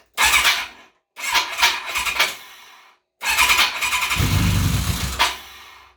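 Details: Kawasaki KZ1000P after a Dyna pulsar ignition install: three short bursts of quick, even cranking with a sharp whir on top, the engine spinning freely and strongly. Normal starter cranking.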